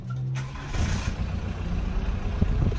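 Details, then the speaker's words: Newly bought Volkswagen with transaxle, just fitted with a battery: brief crank, then the engine catches at once and settles into a steady low clatter; clean, healthy start, though clutch is suspected worn. "We pretty much threw a battery in it and now it's running."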